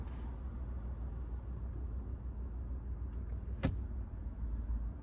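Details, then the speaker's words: Chevrolet Trax Crossover at night, idling in Drive (alternating with N): low uneven drumming rumble and strong engine vibration, absent in Neutral; owner suspects passenger-side engine mount, unconfirmed. "계속 D하고 N하고 번갈아벗어서 놔두겠습니다. 자, D이고요. 달달달 두두 소리 나 겁니다."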